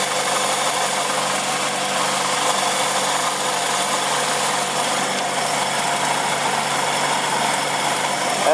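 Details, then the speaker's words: 2001 Chrysler Sebring 2.4 after blown head gasket repair and new timing belt: steady, even idle with no knocks, misses or ticks; smooth and settled, gauges okay. "we'll see if it will crank over well there we go it's running sounds pretty good"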